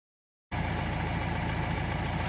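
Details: 2018 Mahindra Roxor turbo diesel UTV starting after replacing the squared-off fuel filter housing O-ring that caused a persistent fuel leak; catches cleanly and settles into a steady, even diesel idle with no stumble or misses; healthy, leak fixed.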